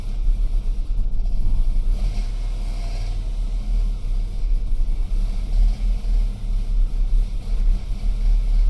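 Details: BMW E92 320i N46N, cold start, before fix: uneven idle rumbling, loudness surging and dipping every second or so instead of settling; no fault codes, no vacuum leak; rough idle attributed to a faulty MAP sensor.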